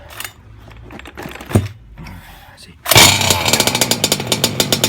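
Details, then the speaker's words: Two-stroke MTXL engine on first start for a heat-cycle run, pull-started in January: fires after several pulls into a blubbery, uneven low-speed burble, then stalls; carburetor set fat; rich running. "Don't worry, let it stall. We're gonna bring the idle up. It's nice and fat. That's how we like it."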